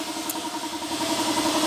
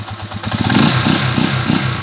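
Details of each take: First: 20-year-old Honda TMX155 single after a prior shop replaced the timing gear: loud harsh mechanical clatter over steady running, still very noisy; crankcase half found cracked on teardown; damaged connecting rod. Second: 20-year-old Honda TMX155 single-cylinder after rebuild: even idle and clean rev blip with no knock, rattle or rough running; now in two-week break-in.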